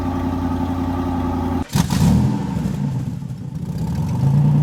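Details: Chevrolet Corvette C8 remote-started after the K&N air filters were cleaned, re-oiled and refitted. Starter catches, revs flare briefly, then the V8 settles into a steady, even idle with no misses or knocks; healthy start.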